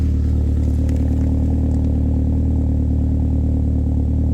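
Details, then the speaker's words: Saab from the 9000 era idling with a deep booming exhaust drone far louder than normal despite a middle silencer; belt/idler pulley noise and a slight exhaust flange leak also present; excessively loud exhaust. "It's so loud, holy crap. And it even has a middle silencer. It's insane how loud it is."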